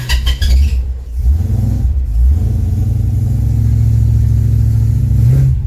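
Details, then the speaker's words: Supercharged 392 HEMI DeSoto V8, cold start after sitting a few weeks: loud deep rumble with uneven blips before settling; rough, possibly mixture or timing. "This thing probably will not be happy because it hasn't been started in a few weeks."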